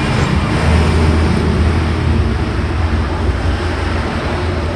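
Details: Modern SIM-100B angle grinder after bearing replacement and reseating the carbon brush: a steady, even motor drone with no roughness, rattle, grinding or sparking. The bearings run smoothly.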